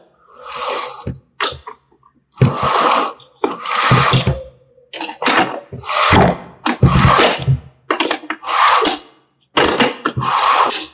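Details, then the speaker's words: Audi electric power steering rack, removed from the car and turned by hand, gives rough, gritty grinding bursts near the electronic control module; water getting inside damages the internals. "आवाज आपको यहां से आएगी, ठीक है। इसके अंदर पानी पड़ने के कारण यहां पे प्रॉब्लम स्टार्ट होती है, इसके अंदर पूरे कंप्लीट।"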